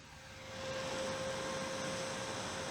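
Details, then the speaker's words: New replacement cooling fan for Commodore CDTV, tested out of the machine: much quieter than the old fan, soft even airflow hiss with slightly more wind noise, faint steady tone, no rattle; normal fan operation. "So I got this new fan. Let's take a look and a listen. Yeah, that's much more silent, but it has a little bit more wind noise perhaps."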